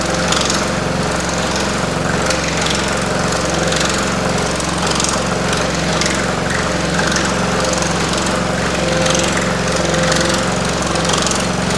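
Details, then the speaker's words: Pullmax-style reciprocating sheet metal machine with plastic thumbnail shrinking dies: shakes on startup, then runs with steady fast hammering and light rattle while shrinking metal; normal operation. "So, I'll turn it on. My machine will shake and make some noise. And then once it gets running, it's pretty smooth. You will hear rattling, but just bear with me."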